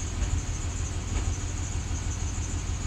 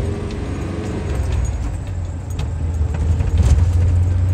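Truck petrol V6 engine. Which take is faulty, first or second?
first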